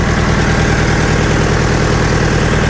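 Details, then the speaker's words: Scrap-bound diesel forklift, jump-started via screwdriver at the starter, possibly low battery and exhaust leak noted: even, steady diesel clatter at idle, no misses or knocks; engine runs. "hãy xem, tiến lên một chút xem liệu chúng ta có thể cho nó quay giống như cái kia không ồ, nó chạy thực sự chạy"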